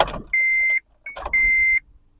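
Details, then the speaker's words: 2008 Honda Civic towed in with a new battery reading 13.22 V, key on and cranked: steady high electronic beeps about half a second each, with no starter click or cranking; no crank, no start, warning chimes only. "so I am putting the key on right there and we'll crank the engine there you go it's uh no crankness start crank again nope no crying no start"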